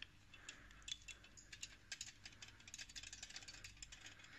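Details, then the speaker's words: VW Polo 1.4 TDI, removed clutch friction plate during clutch replacement: a loose, tinny metallic rattle as it is shaken, from a worn centre spline hub that moves and shouldn't. "it rattles quite badly i mentioned it in the dpf video that you could hear it but it's the center spline that actually moves"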